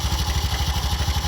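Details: Bajaj BS6 auto, noisy since another mechanic fitted a timing chain: steady idle thump about ten a second with constant metallic rattle and hiss; worn timing chain rubbing and touching, holing the case so oil leaks out.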